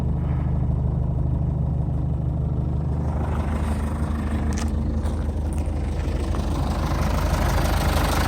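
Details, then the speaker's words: 2006 Jeep Liberty 2.8 CRD diesel 4x4, turbocharged and intercooled, stock exhaust with catalytic converter and muffler, no check engine lights: steady, even diesel clatter with a smooth low rumble, no knocks or misses. Normal idle. "it's turbocharged and intercooled go around back here and let you hear the exhaust like I said it's all stock you still got your catalytic converter and muffler on it"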